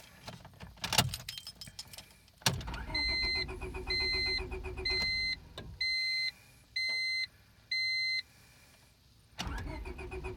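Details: Car that lost power while driving, battery light on since the failure; A/C belt found broken and wrapped on the power steering pulley: clicks, then six evenly spaced beeps about a second apart with no cranking; won't turn over, cause unknown.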